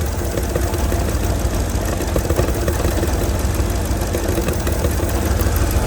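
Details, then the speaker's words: 2007 Mercedes GL450 with random misfire, low power, battery and check engine lights on, catalytic converter rattling inside: low rumbling idle that keeps searching, never settles, with a faint sucking hiss; very unsteady idle. "Very unsteady. Very unsteady."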